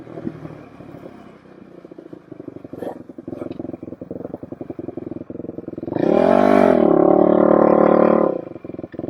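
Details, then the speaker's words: 2007 Suzuki LTR450 quad after removing the fuel filter: single-cylinder thumps at low speed then revs cleanly and evenly with no stumble; normal running under throttle, later found dirty fuel injection system cleaned. "It seems to take throttle fine. So we're going to take it for a rip down the road."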